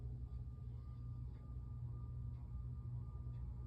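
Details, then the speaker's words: 52-inch Hampton Bay Windward ceiling fan made in 1992, on low speed: low, steady faint motor hum with no rhythm or rubbing; cause not clear. "can hear it humming there. It's got a little hum to it, but whatever."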